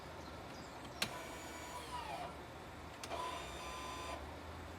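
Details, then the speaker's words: 2016 Audi A3 after rear brake pad replacement, engine idling: two short electric parking brake motor whirs a couple of seconds apart, each stopping cleanly; calipers lock and release normally. "that's the brake. calipers locking in and working as they should."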